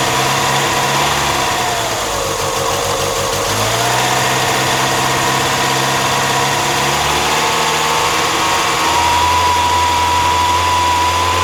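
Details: 1997 Mazda MX-5 (Miata) petrol engine, microphone on the radiator: an even idle with a steady low thrum and a thin whistle drifting over it. Something is off, but the cause isn't clear.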